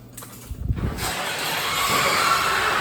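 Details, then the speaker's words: Genie chain-drive garage door opener after refitting a chain that had come off its sprocket: a couple of clunks, then a dry rattling run with faint squeal down the full travel; chain and rail need oiling. "Good news is it works, it seals up good, but the bad news we got to put some love medicine on that stuff."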